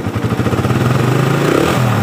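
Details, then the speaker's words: Suzuki Satria FU motorcycle running normally after the starter motor (dinamo starter) was refitted; the fault was in the starter motor, not the switch or bendix. Engine catches at once on the starter button and settles into a quick, even putter. "motor sudah nyala pada saat saya tekan tombol starnya berarti penyakitnya ada di bagian dinamo starter guys bukan dari switch atau bendingnya"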